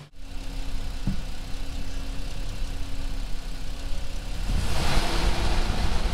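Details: Jeep with manual transmission after belt squeal fix (belt removed, pulley cleaned, belt refitted), warmed up at idle: steady, even low idle with no squeal or chirp; squeal, suspected from AC compressor, had appeared above 2000–3000 rpm; normal idle.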